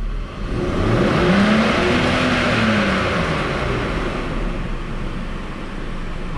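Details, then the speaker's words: BMW E39 3.0 with double VANOS, just chip-tuned, warmed up, rev limit raised toward 7000 rpm (cut-off near 6500): long sustained free rev, pitch rising and holding high before easing off, strong clean pull, no misfire or knock; normal. "Және де 7000 оборотқа дейін аппаратындай қылдым. Кішкене қыссын. 7000 оборотқа бара ма, бармай ма?"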